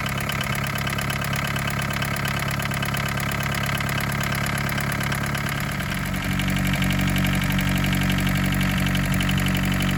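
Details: 1981 Isuzu Pup C223 diesel, hard start after sitting 4 hours, warming up: steady clattering idle with slight uneven beat, then lower and louder; air bubbles seen between fuel filter and injection pump, suspected cause.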